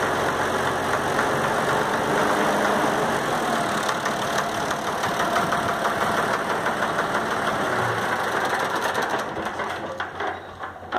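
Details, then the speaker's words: Valtra A750 three-cylinder tractor diesel at idle: rough, uneven stumbling beat of about three per second, a misfire with one cylinder dropping out. "tá gravando barulhão aí o toda falha aí ó"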